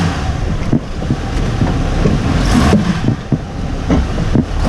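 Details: Hummer H3 while driving: irregular dull clunks every second or so over road and engine noise from the front end; recently fitted front diff bushing suspected incorrectly fitted or poor quality.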